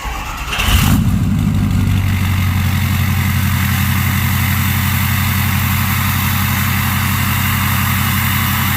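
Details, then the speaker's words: Truck with a 6.0 diesel on its stock turbo, before the swap to a bigger turbo. A quick crank and a firm catch, then a deep, steady idle with an even low drone and no knocks. A healthy startup. "Alright, so that's what it sounds like with the stock turbo."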